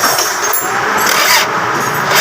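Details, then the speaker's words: Toyota Alphard starter cranking on a hot engine with a strong battery: slow, labouring crank that won't catch; starter field coil layers burnt and brush contact worn, so it struggles when hot but starts in one click when cold. "Kaya nahihirapan siya. Nahihirapan siyang umikot. Pag mainit, hirap siya."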